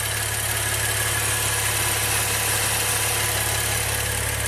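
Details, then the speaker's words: 2016 Maserati Ghibli twin turbo after timing chain replacement: an even, steady idle with a low, smooth rumble and no ticks or knocks. It sounds smooth, with no leaks or smoke, a healthy engine. "Sounds smooth, no leaks, no smoke."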